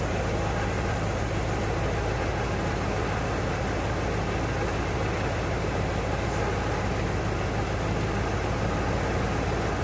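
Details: 1992 Ford Bronco, first start after being bought not running, coolant almost empty, oil a quart overfull: deep, uneven loping idle, no clear knock; rough running, smoothing up a little.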